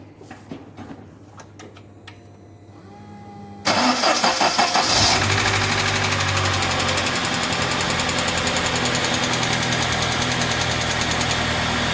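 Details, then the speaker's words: UAZ Patriot petrol engine on cold start: hard, fast metallic clatter from the hydraulic lifters over the idle, quieting quickly and returning as the engine warms; low oil pressure suspected, to be measured. "мы сейчас заводим автомобиль наслаждаемся стуком гидрокомпенсаторов"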